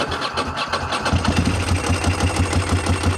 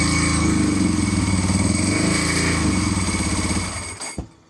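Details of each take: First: 748 motorcycle on a new $30 Amazon battery, first start after oil and filter change with oil overfilled and little gas in the tank: starter whirr, engine catches and settles into an even, quick idle; normal start. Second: 748 motorcycle after a rev attempt; fuel light came on and it shut off, then after cycling the throttle fuel light came on: lumpy idle of about four pulses a second that sags and dies; stalling, cause unknown.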